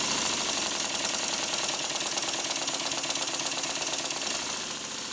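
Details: Model steam engine on compressed air after the slide valve fix and oiling: quick, even, light chuffs about 3.5 per second with no knock, much smoother, faster, more even and quiet.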